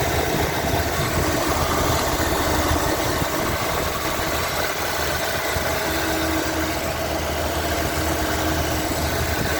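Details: Lincoln Continental Mark-series (Mark V/VI) at idle: steady, even smooth low rumble, no knocks, misses or hunting; sounds solid and healthy, normal idle.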